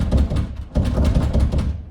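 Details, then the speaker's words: House door shaken while closed, quick bursts of hollow low knocks as the latch clatters loosely in the strike plate; rattling door from a loose latch, fixed by adjusting the strike plate. "so today I'm going to show you a super easy fix for rattling banging doors in your house like this"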